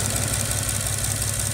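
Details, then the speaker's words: 2006 Bentley Continental idling with many warning lights on and error codes; the low exhaust pulse stumbles now and then with a slight shake, and a possible loss of brake assist or vacuum is suspected: rough idle with slight misfire. "It's probably hard to pick up on camera so feels like slight misfire you can hear the misfire on the exhaust and a ton of error codes"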